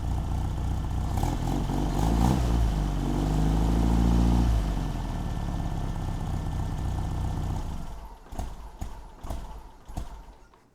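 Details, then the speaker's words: 1964 Triumph TR4 with non-factory cam after tune-up (points gap, timing 4° BTDC, carbs balanced), idling around 800 rpm; loud lopsided loping beat with a few blips; slight gallop, owner unsure if cam characteristic. "it's got a little bit of a gallop to it if you can hear that you also have to remember this isn't the factory cam"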